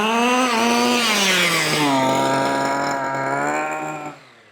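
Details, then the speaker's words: 1/5-scale petrol two-stroke RC car at quarter throttle after leaning the low-end needle, which had been too rich and sluggish; clean, steady buzzy pitch without stumbling, and full throttle doesn't cut out; carburettor running well. "throttle. Sounds nice. Runs well. Full throttle doesn't cut out or anything."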